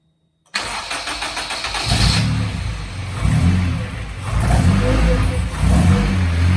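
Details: Honda EK with K20A2 Type S engine swap, first start after fixing rotten fuel lines: brief crank, fires and settles into a steady idle with a few light throttle blips.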